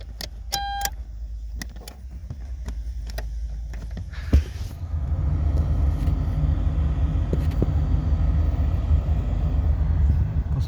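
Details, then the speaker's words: 2008 Toyota Avensis dual-zone climate control after repairing the driver-side (left) temperature actuator stepper motor, ignition on: a few clicks then steady low fan hum, no more crackling from the actuator. "звуків немає. Все красиво. Він уже б тріщав би."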